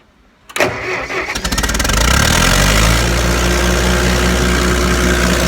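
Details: Massey Harris 50 tractor, started with a jumped, jerry-rigged wire: cranks for about a second, catches cleanly and settles into a steady, even idle with no misses or knocks.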